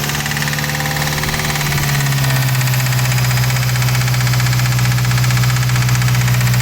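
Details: 2017 Subaru WRX at idle: a low, even drone with a regular tapping about three times a second underneath, an engine knock of unknown cause.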